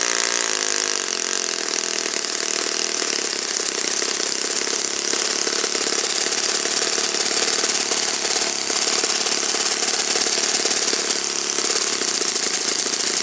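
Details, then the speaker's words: Saito FA-56 four-stroke glow model engine on its first run after cleaning and bearing replacement, with a 12x6 prop, OS F plug and 5% fuel: steady high buzz at even revs with no misses, running smoothly during tuning. "As you can see, it runs like a champ."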